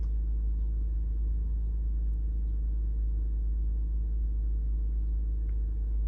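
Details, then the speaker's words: Lexus RX350 at idle, engine cold so rpm slightly raised and expected to drop as it warms; steady, even idle with no misses or knocks. Mass air flow reading normal for idle. Normal cold idle. "गाड़ी अभी जो है थोड़ी सी मतलब कि आरपीएम इसका ज़्यादा है, गाड़ी ठंडी है इस वजह से आरपीएम ज़्यादा है। जैसे जैसे गर्म होती जाएगी तो आरपीएम इसका डाउन होता जाएगा।"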